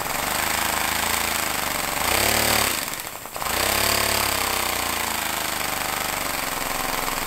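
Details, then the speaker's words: Homemade compressed-air engine at 50 psi with a small lever-operated diaphragm-valve throttle: fast, even chuff of about four beats a second, dropping away briefly as the throttle closes, then picking back up; normal running. "I'm almost more excited about this throttle that was with a dude it just sounds so good"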